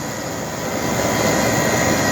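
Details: AC condenser compressor starting and running after installing an ICM 870 soft starter, 45/5 capacitor; smooth, steady hum and rush, quieting as it runs, no clatter or labouring; suction line cold, discharge line warm; normal compressor running.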